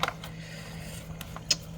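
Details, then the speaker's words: Samsung Zipel SRT686FVIS refrigerator after fix: newspaper wedged between condenser and floor cures a rattle from the faulty condenser mount; soft steady low hum, a couple of faint clicks, no buzz or rattle; running quietly. "저는 요렇게 응축기와 응축기와 바닥 사이에 신문지 하나를 끼어 넣어서 일단 해결하는 걸로 소음을 어 해결했습니다"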